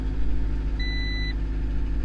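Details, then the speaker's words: Honda CRX (ED8) cold idle right after throttle body swap fixing a leaking diaphragm vacuum leak: steady low rumble with no hunting or stumbling; settled and healthy. "there's RPM. I'm gonna let it warm up a little bit more, or all the way. Actually, it's cold."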